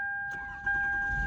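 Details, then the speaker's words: Toyota Camry convertible, 104,000 miles, just fitted with a new battery after winter storage: brisk buzzing whir, then the engine catches within a second and settles into an even run; healthy quick start. "Oh, like a champ. She's good to go."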